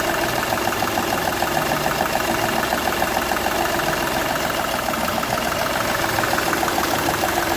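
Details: Seat Ibiza 1.2 TDI diesel idle with sharp puffing tick roughly three to four per second; compression loss from cylinder one past the injector seal, which showed a burnt section where compression escaped.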